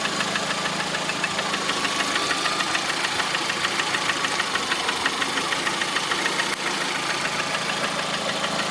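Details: Lada Priora with 21126 engine at steady idle: sharp, regular tick about three per second over the engine; knocking at idle, source not pinned down.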